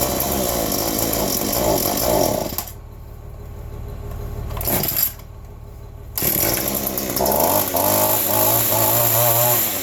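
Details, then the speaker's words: Cold two-stroke yard tool (the 210) in December keeps wanting to die: buzzing drops almost to nothing, catches, revs unevenly. Owner suspects it needs carb work from sitting; cold-stall cause unconfirmed. "The 210 throttle. It likes to die a lot. It's cold. Keep it steady running now."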